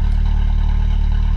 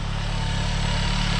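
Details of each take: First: 1997 VW Golf Estate Joker Edition, stock exhaust, idling: steady low rumble with soft even puffing pulse; owner unsure whether it is an exhaust leak. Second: Normal idle on a 1997 VW Golf Estate Joker Edition, no dash warning lights: even, steady idle with smooth low thrum, no stumbles, ticks or misses; runs fine despite oil leaks, brought in for a broken clutch cable.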